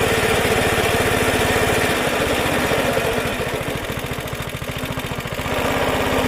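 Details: Suffolk Super Punch 17" cylinder mower, c.70 years old, SIF 75cc cast-iron single, after carb and points clean, drive engaged: crisp, even putter about 3.5 firings a second, steady under load; healthy running.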